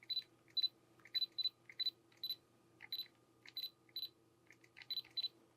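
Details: Canon G7X Mark III after lens unit replacement, testing zoom and shutter: crisp, evenly repeated shutter clicks, about a dozen in six seconds, each clean with no grinding; shutter working properly.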